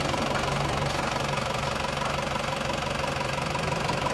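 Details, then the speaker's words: 2L diesel engine after overhaul, idling: even steady clatter about three beats a second, smooth and regular with no miss or uneven knock; blow-by gone, smoke only when cold. "yang penting mesin sudah tidak ngobos itu sudah bagus dan mesinnya juga rata dan halus"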